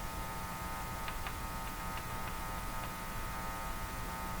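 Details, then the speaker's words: Hallicrafters TW2000 communications receiver after a capacitor change: a steady low buzzing hum with a faint higher drone, mains hum leaking in through unshielded filter capacitors; shielding them makes a difference. "I know why they use shielded capacitors in these positions now. It's quite obvious."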